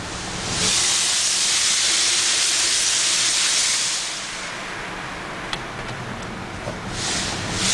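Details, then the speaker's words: 1998 Mercedes E320 driving in sport mode, disintegrated passenger-side cat blocked exhaust, hole pierced in exhaust as temporary fix until replacement cat, check engine light flashing: loud steady hiss rising with throttle; exhaust leak from pierced hole. "so I'm driving the car and it actually drives fine except that got the hissing sound"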